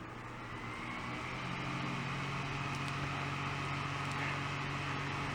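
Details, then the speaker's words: Fan on an APC Back-UPS 450 with AC line power restored after battery mode: steady low hum that firms up and gets louder as the fan spins back to full speed; meter reads 118 V; normal running. "and it started spinning up a storm again. Now it says the voltage has dropped to 118 volts."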